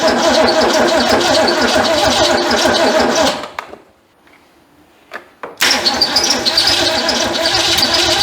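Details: Ford Fairmont that sat 35 years, in cold weather, before the jump starter: starter churns, pauses two seconds, cranks again with no catch; owner says he flooded the engine.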